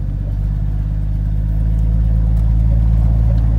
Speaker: I'll kinda second gear on the way back so the RPM gets up a little bit you guys can hear the old inline six per a little bit better